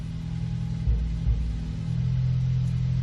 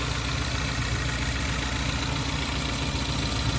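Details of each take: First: 2014 Ford Focus ST 2.0 EcoBoost, cold start, heard at the exhaust at idle: deep rough idle with uneven pops and stumbles; misfire on cylinders 2 and 4, confirmed by scan-tool misfire counter. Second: 2014 Ford Focus ST 2.0L EcoBoost after warming about 30 seconds from cold start: low, steady even hum with no taps, knocks or stumbles, no misfires logged; normal warm idle, misfire is a cold-start issue.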